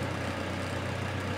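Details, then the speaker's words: Toyota Tacoma petrol engine after an oil change, idling at about 1000 rpm, heard from inside the cab: smooth, even idle with no knocks or ticks; normal, oil pressure light off. "sounds normal and that's good"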